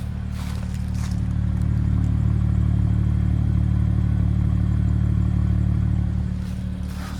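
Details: BMW started after sitting about a week and a half: deep idle with a slight uneven pulse, about three or four a second; rough idle, owner suspects a failing high pressure fuel pump, not confirmed.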